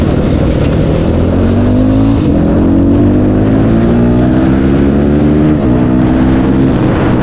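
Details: Big-bore (BRT) CRF motorcycle on a road test after replacing worn primary and secondary clutch gears that hummed on clutch release: smooth engine note climbing steadily through the gears with no gear rattle or hum; now smooth even at low speed.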